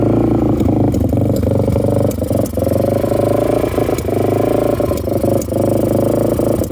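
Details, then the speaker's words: 1998 Yamaha XT350 with sticky throttle, idling by itself only around 3,000 rpm and dying higher or lower: steady drone broken by sharp irregular pops and sucking clicks every half second; owner thinks not a backfire. "I don't know what that sound is it's not a backfire I don't think but it's on it's idling by itself but it only idles right around 3,000"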